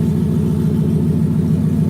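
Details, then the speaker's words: 2018 Mustang GT with new turbo kit on E85, restarted while chasing errors; steady even V8 idle, air-fuel good, not lean, no ticking, no misses or knocks; normal idle. "Yeah, it idles good. Air fuel is good."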